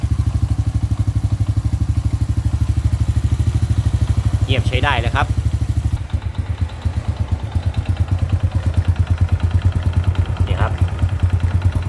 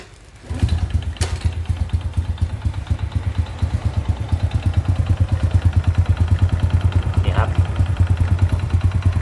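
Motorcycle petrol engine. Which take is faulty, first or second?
second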